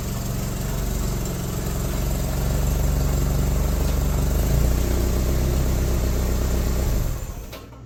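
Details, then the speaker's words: Suzuki SX4 after replacing a failing Varajet II carburettor with a Holley 3200 on an adaptor, electric fuel pump at 6 psi: even idle rising smoothly with revs, no stumbling, clean shutdown. Normal running. "Oh yeah. Cool. The second test run went really well. still needs a few things, but you know, this car feels like a car or it feels like one of our kind of cars."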